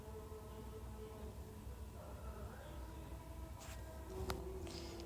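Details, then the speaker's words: Sharp single-door fridge that was not cooling, compressor just started after refrigerant charge to 80 PSI, drawing 0.55 A (max 0.7), pressure 15 PSI, filter warming; low steady hum, no knocking or rattle, running normally. "Oke, di sini setelah kita nyalakan ya, kompresor sudah hidup dan filter sudah mulai terasa hangat."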